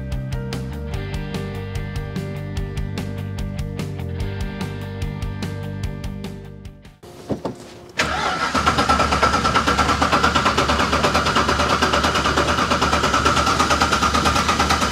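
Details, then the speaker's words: 1998 Porsche 986 Boxster with an Audi V8 swap, first start after a long break: a fast, even chattering tick of about three a second over the idle. Engine bay chatter; the owner suspects the power steering pump. "ça démarre et fonctionne mais ça ça sonne très bavard comme ça quelque chose fait beaucoup de bruit"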